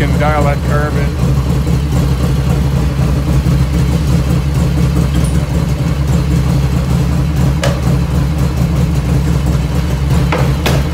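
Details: 1985 Harley FXR V-twin idling just after first start, still cold at about 49°F ambient, right after a float setting: deep, even loping beat with no lifter ticking from the top end, chirping in the background; normal idle.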